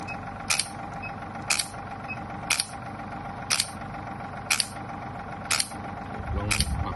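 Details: Shock wave therapy machine after repair of no firing, no air and no force: crisp, even pops about once a second over a steady compressor hum; handpiece firing strongly and regularly, normal.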